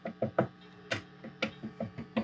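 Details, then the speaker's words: Fender Twin Reverb '68 Custom reissue, tapping the amp front after swapping in some new 12AT7 preamp tubes: sharp dry taps die away at once with no ringing; no microphonics from the front. "it's basically nothing from the front."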